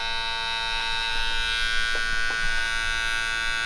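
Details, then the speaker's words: Clipper blade after professional sharpening, test-cutting: steady high buzz with short cutting bites, motor doesn't bog, cutting way better, though one side still needs a little more work; normal cutting. "yeah cutting way better now she totally oh yeah the corner that corner though"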